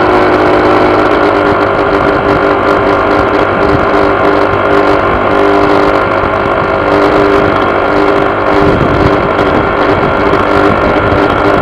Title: Honda PCX buzzing sound vibrations